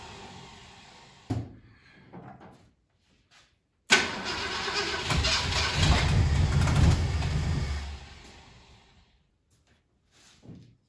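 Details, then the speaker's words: 1968 Ford Galaxie 500 with a 390 V8, sat at least 13 years, coil wired directly to the battery, little or no gas: it cranks, fires and runs unevenly about four seconds, then dies. Weak spark was found later and points filed. "this thing should start right up in idle hopefully it might not idle but it should start up and run"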